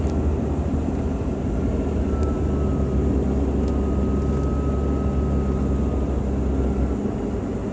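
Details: 2001 Jeep WJ 4.0L: while driving about 25-30 mph, a wind-chime sound grew into this thin steady whistle riding above the engine rumble, holding pitch; owner suspects a bad water pump, not confirmed.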